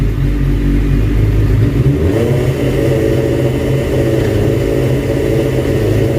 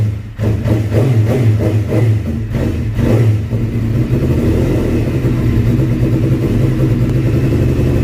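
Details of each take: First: 2005 Suzuki GSX-R750 on the stand, no load, after adjusting the idle: settles from steady idle into clean, even revs with no stumble or misfire; normal revving, fix worked. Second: 2005 Suzuki GSX-R750 after stator-rectifier wiring cleaned and airbox installed: picks up on throttle blips, holds a lumpy mid-rev run, then sags and dies; stalls because idle speed set too low.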